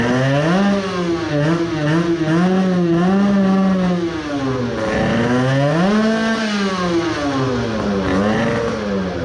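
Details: Tuned 20 hp two-stroke moped, crankcase resin-filled, with coolant, after 10 minutes idling fine: about five revs, revs surge and sag, fall away faster than normal, struggles then seizes locked; owner suspects main bearings.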